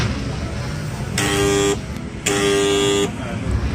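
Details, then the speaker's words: Ryu RSG 100 angle grinder, switched on: two bursts of steady low buzzing hum with no spin-up, so the motor is energised but not turning. Likely a seized head bearing. "Kalaupun dia nyala dia hanya dengung doang enggak bisa muter karena mungkin bearing nya ini ada yang macet"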